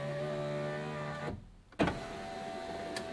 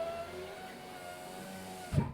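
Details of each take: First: 2017 Fiat 500e front power window regulator/motor: a steady motor whirr, then a sharp snap at the top as the regulator overtravels. The glass clip pops off its hole and the window jams. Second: 2017 Fiat 500e driver-side window after replacing the regulator/motor assembly: smooth, even motor hum with no grinding, ending in a firm thump at the stop; window goes up and down normally.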